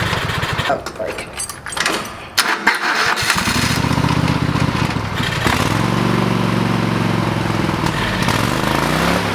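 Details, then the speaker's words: Old lawn mower, still on old gas in the tank: cranks, catches and settles into a steady even putter through a couple of load changes; running normally. "fire's right up now we're good to go i probably need to put some fresh gas in the tank so we're not running old gas through the motor"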